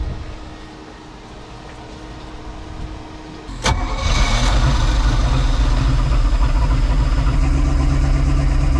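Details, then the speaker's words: Sea Ray boat engine started after 17 years of storage, back two cylinders (five and six) soaked overnight in ATF and showing very low compression; cranks a few seconds, catches and settles into a steady, deep, even rumble. "I don't know sounds like it runs despite the horrible compression numbers we were getting in cylinders number five and six"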